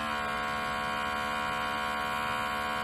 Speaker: this on/off switch operates the vacuum pump that'll have a vibration noise to it all that is normal it's what happens and you're going to hear a nice little drone in the background of the video